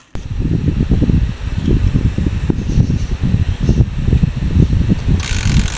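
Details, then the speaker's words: Honda TMX 125 Alpha after tune-up for hard starting and loud tappet noise: now starts on one click and idles with an even single-cylinder thump, tapping gone. "Saka yan ang ganda na ng tunok ng kanyang makina ngayon. Nawala na yung kanyang lagitik."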